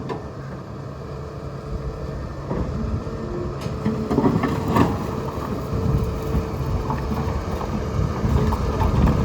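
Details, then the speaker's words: Caterpillar 320E L long-reach excavator with Cat C6.6 ACERT diesel, while travelling: diesel rumble under a repeating beep about four times a second; horn and travel alarm both work as they should. "As you can hear, working horn and travel alarm."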